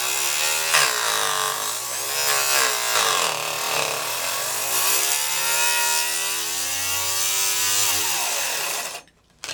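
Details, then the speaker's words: Saw cutting thick plastic: the high whine keeps sagging in pitch as the blade slows, choked by cut plastic chips dragged underneath instead of all spitting out; bogging from chip buildup. "as you can hear, the saw was sometimes choking a little bit and slowing the speed because this buildup of these cutouts, which are dragged underneath instead of, some of it are spitting out, of course, but that's why I said you better watch your eyes and put safety glasses on."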